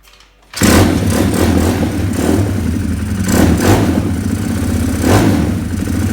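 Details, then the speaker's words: 2020 Orion RXB 150 pit bike running before repair; lumpy, uneven putter surging about every second. Owner suspects the aftermarket carburetor was never jetted. It smokes a little, which he attributes to the crankcase being overfilled with oil. "It doesn't run very good because this engine does not run very well because the carburetor is not jetted at all."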